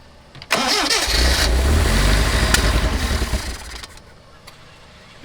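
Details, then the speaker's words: 1979 Lotus Esprit, carbureted, after starting fluid was sprayed into the held-open carb: it cranks, fires and roars for about three seconds, then fades and dies. The float bowls are suspected to need fuel. "i think it just needs to get gas in the bowls try not to eat that"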